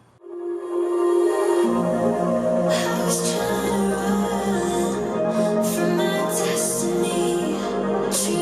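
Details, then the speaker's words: JBL JRX200 speaker after tweeter driver replacement, same song as the faulty unit: clear music with crisp bright highs, no buzz, rattle or distortion, sounding much better than the unrepaired speaker; normal speaker output. "here and so you can see that sounds a whole lot better than the first one"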